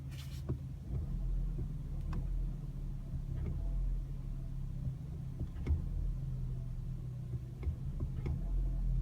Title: Ruido al acelerar